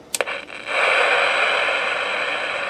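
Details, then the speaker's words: Elenco FM-88K kit FM radio, owner suspects a wrong-value varactor diode or other wrong part: click then steady loud hiss with no stations received; fault not confirmed. "it's definitely turning it's putting out a lot of noise but no stations"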